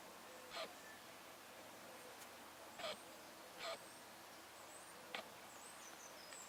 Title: Arlo and Athena - the squeaking noise is the camera not the rabbits!